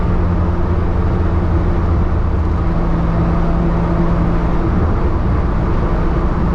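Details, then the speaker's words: Datsun 240Z with brand new triple Weber carburetors, on a short drive: steady, even engine drone under light throttle over road noise, with no knocks, misses or rattles; engine sounds healthy. "I think that was just a quick drive just to give you a bit of a sound bite see what it sounds like I'm quite impressed I'm quite happy"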